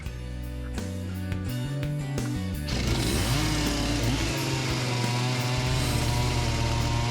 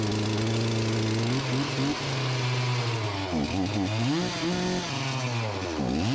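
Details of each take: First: Farmertec MS361 knock-off two-stroke chainsaw after second top-end rebuild, not yet broken in: runs steady and responsive with clean, even firing and no stumbling; carburetor still needs tuning but the earlier fault is cleared. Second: Farmertec MS361 clone chainsaw after top- and bottom-end rebuilds, running with a new piston that broke a chunk off its skirt: revs hang high, then dip and surge instead of settling to idle; erratic running and no idle from damaged piston skirt.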